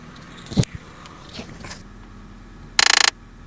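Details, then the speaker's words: 2011 Ford Fiesta shortly after startup, microphone held under the driver-side dash: short rapid ratcheting buzz from the blend door actuator; readjusting the old actuator's position silenced it. "I held the microphone under the dash. It does that. I believe that is the blend door."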